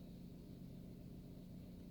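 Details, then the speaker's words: 2019 Nissan Livina after warm-up, rpm dropped from about 1000 toward normal 800 idle and temperature indicator rising: smooth, even low idle hum with steady tone, no knocks or misses; engine settled to stable warm idle. "jadi ini sudah stabil"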